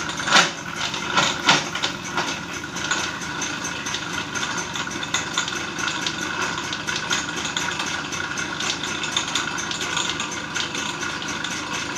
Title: TVS XL Super Clutch Noise Problem // Clutch Bell & Clutch shoe Replacement ,Clutch Assembly in Tamil